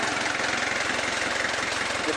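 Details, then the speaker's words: Kia Bongo diesel at steady, even idle with low clatter and no misses or knocks, after the starter motor was cleaned to fix a click-only no-crank. Normal idle. "mga boss Wala naman naging problema sa pagar Ayos [Palakpakan] naman mga boss"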